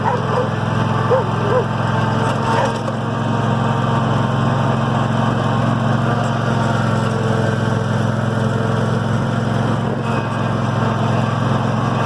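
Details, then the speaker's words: Cub Cadet RZT 50 mower after hydrostatic transmission rebuild and refill: steady even engine drone, no grinding or whining from drive; runs normally. "all right mowers back up and running we're"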